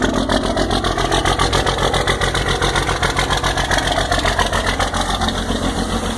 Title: 12 valve hard start, smoke and tick